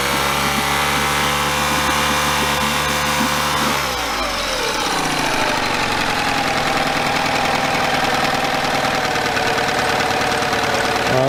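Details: Yamaha 9.9hp outboard after replacing a cracked, dried-out carburetor diaphragm that caused heavy gas leaking; runs fast then drops smoothly to steady even idle, no stumble or miss; running healthy.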